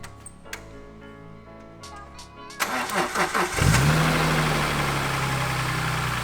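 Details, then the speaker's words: BMW E46 M3 with the S54 engine, first start after rod bearing replacement; the car had been neglected for over a year. A brief crank, then it catches cleanly and settles into a steady, fast cold idle with no knocking. A tick is mentioned afterwards. "first time starting the engine after uh installing the rod bearings let's see"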